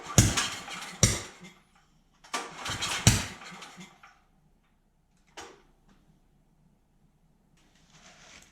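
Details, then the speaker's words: Dewalt generator that will not start, cranking after the intake valve was reset to 0.004 in: sharp pops and chuffs blow back out the intake with no steady run; the cause was a severely warped intake valve. "Well, it's still doing it. Something's wrong."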